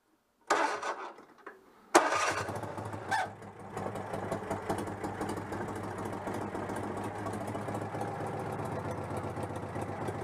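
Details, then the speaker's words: Citroën 2CV (AZLP6) after fitting a centrifugal clutch, old-style starter noise: starter cranks, then the twin catches and settles into an even, steady idle with no misses or knocks. Normal start and idle. "bon allez je vais couper le court circuit mais je suis plutôt content ça l'air de fonctionner parfaitement"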